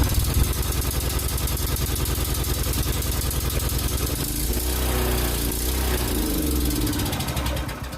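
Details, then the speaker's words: Predator 301cc single-cylinder engine that sat outside almost a year, with a rusty carb bowl and water in the oil, started on choke. Taken off choke, its uneven, loping beat sags and fades as it stumbles toward dying. "okay so uh as soon as I took it off choke it kind of started to die huh ran that's that's actually pretty scary that it ran sitting like that"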